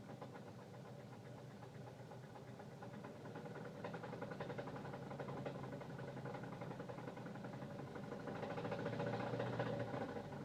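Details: 2006 Saturn Ion, owned 5 years, knocking started 2 weeks ago: faint fairly even knock about 220 per minute over quiet idle, growing slightly louder; mechanic suspects a piston, others suspect something else in the engine, unconfirmed.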